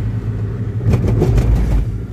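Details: Daihatsu Luxio driven on a rough road after months of hard off-road trips: over road rumble, a second-long burst of hollow clunks from the front wheel on the rough patch; front suspension knocking, likely worn parts.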